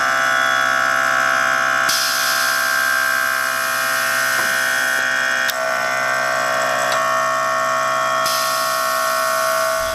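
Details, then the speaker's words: 2017 Harley-Davidson Road Glide (M8 Touring), just-installed Xotic Customs Taildragger rear air suspension with Fast Up tank, 5/32-inch airline: steady high electric compressor whine with sharp valve clicks, raising bike; normal compressor operation. "Alright, now that we're done with the install, we want to raise the bike all the way up, fill the system full of pressure, and you want to check every single fitting connection using a glass cleaner, like a Windex."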